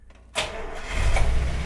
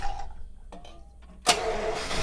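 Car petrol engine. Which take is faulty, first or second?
second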